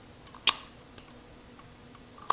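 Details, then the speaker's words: Emergency stop retrofitted to Nutool pillar drill press, wired with relay before motor connection; hitting the stop gives one sharp click then a lighter tick as the relay drops out cleanly, working as it should. "if I hit the emergency you should hear it click off"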